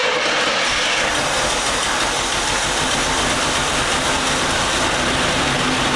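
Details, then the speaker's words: 1981 Chevy Camaro running for the first time after years of sitting: a harsh, steady hiss and rough whirring over a weak low rumble. The owner says a pulley sounded awful; the cause is unknown and not confirmed. "That pulley sounded awful. But yeah, that pulley sounded awful."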